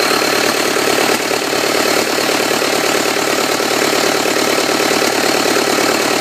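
Steady diesel idle with an even, rapid clatter near three beats a second and no odd knocks; engine sounds healthy.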